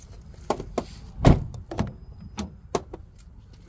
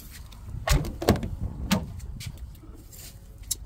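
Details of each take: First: Sharp, irregular pops and clicks from an Infiniti QX80 door as it is worked. A bolted part is moving; the fix is removing it with a 10mm tool and adding a 1/4 rubber washer. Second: Infiniti QX80 door after fixing the door popping by adding a 1/4 rubber washer at the moving part with a 10mm tool: the door swings and latches with soft thuds and clicks, no popping or creaking.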